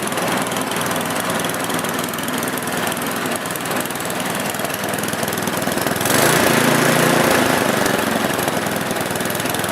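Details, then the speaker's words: Small petrol engine after replacing the carburetor jet runs at an even, steady speed without hunting or surging, then shuts off; the surging is cured. "As you can see, the engine ran much better here. What I did is I replaced the jet."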